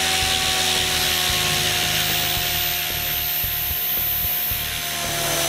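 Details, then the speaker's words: Goblin 500 RC helicopter with a Castle Talon 90 ESC, after problematic default settings were changed to Heli Fixed End Point mode. Smooth, steady high whir at normal headspeed with no surging, then spinning down; the problem is fixed. "spin it back down it looks like that took care of the problem"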